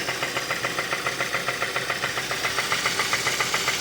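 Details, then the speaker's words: 2015 Kia Optima 2.4 with code P1326 and flashing warning light, after oil change: steady idle with a sharp even metallic knock three to four times a second, absent before the oil change and growing louder, oil leaking; engine knock from low oil. "no más me sorprende que antes de hacer el cambio de aceite se escuchaba no se escuchaba así de hecho ni siquiera se escuchaba ruido ahorita ya si estás está sonando"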